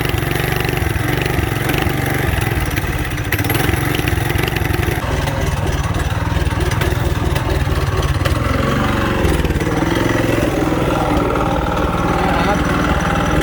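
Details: Budget mini bike single-cylinder engine with low compression, new exhaust fitted: runs loud with uneven, lumpy firing and wandering speed; rough running.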